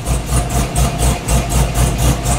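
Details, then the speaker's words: Synergy green Camaro being retuned with HP Tuners for idle and lean spots; deep lumpy idle pulsing about four times a second right after a cold start, wideband not yet reading during O2 warm-up; rough but improving as it warms. "it's not too bad right now it seemed a little bit better yeah it's getting a little bit better"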